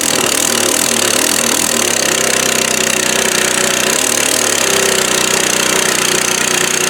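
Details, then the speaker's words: Free 1998 Craftsman 22-inch mulcher mower, 6.25 hp single-cylinder, running fast and rough with ragged popping and crackling. Owner blames a sheared upper exhaust bolt left inside; the carburetor also won't stay on. "The other motor is definitely good, but all the popping and cracking you hear going on is where somebody twisted off the exhaust bolt, the upper one, and twisted it off inside there."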